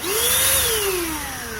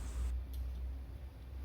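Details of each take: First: Jaco EZ Hoover vacuum cleaner motor, reassembled after disassembly for a rough noise and suspected failed bearing: a smooth, even whine rising then settling, with no grinding or rasp. It now spins freely and normally. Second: Jaco EZ Hoover vacuum cleaner motor spins up twice with a harsh, rattling roar over its whine; rough abnormal noise from a badly failed motor bearing, confirmed on disassembly.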